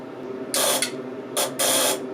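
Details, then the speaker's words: DIY UPS power-transfer test, with the microcontroller-driven relay crossing from primary to secondary DC input: harsh electrical buzzing in sharp rasping bursts with quieter gaps, plus click-clacking during crossover. Cause unknown. "whoa that sounds nasty gnarly let's give this thing more current a little more voltage not sure why they really is click-clacking like that"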